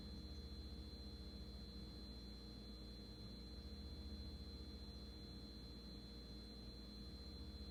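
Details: GE refrigerator: a steady piercing high-pitched whine over a low running hum.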